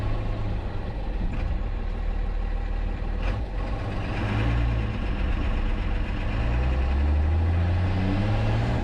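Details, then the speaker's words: 1967 Ford F100 with a 12-valve Cummins swap, in the driveway after a part was flipped to fix a no-boost problem and held with a temporary C-clip: a deep diesel drone swells with throttle, and the turbo now makes about 5 psi. "Hey, it made boost. It made like 5 pounds right there. Nice."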